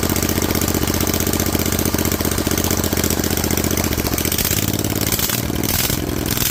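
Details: Rebuilt Vanguard 16HP V-twin with a 23HP carb, open air filter and header, running with the loose spring reattached: an even, low chugging idle with steady firing and a slight settle near the end, no knocking. Normal idle.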